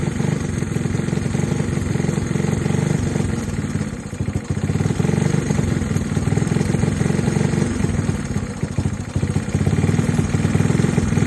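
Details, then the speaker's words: Honda Trail 90 being tuned after new spark plug, battery, fuel lines and plug boot: the single-cylinder idle surges, its putter rising and sagging unevenly while the fuel screw is adjusted, so the idle is turned down; an air leak is suspected later. "You can hear how it's surging, so we're gonna turn the idle down."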